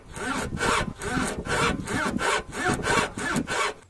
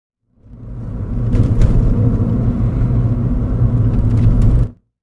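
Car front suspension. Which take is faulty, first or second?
first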